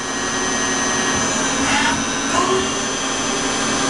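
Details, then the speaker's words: Tsugami PL3 CNC gang tool lathe, Fanuc control, 5 HP spindle, 5,000 rpm max, cutting dry without coolant so the machine is audible, G71 rough turning with WNMG 432 roughing tool. Even spindle whir, smooth tool sweeps, no chatter or grinding; healthy. "I don't use any water, and so you can just hear the machine. It's a solid little machine, and it can take a good cutsy cut."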